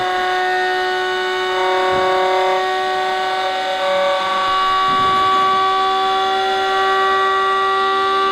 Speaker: It's in a harmonic with the lubrication and the Yeah. bearings. Yeah. And this wasn't balanced with Tesla's patent. If we could perfect Tesla's balancing patent, we shouldn't be able to hear anything.